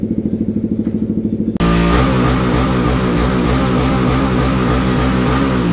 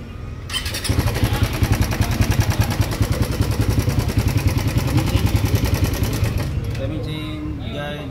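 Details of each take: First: Raider 150 FI motorcycle after repair of oil-neglect engine noise: loud, even beat from tuned race exhaust, no internal rattle or clatter; engine quiet and healthy again. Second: Raider 150 FI motorcycle neglected on oil, ridden from Angono, Rizal, while noisy: starts to a busy, clattery, rough idle; abnormal internal engine noise, suspected from oil neglect; repaired with second-hand clutch pressure part.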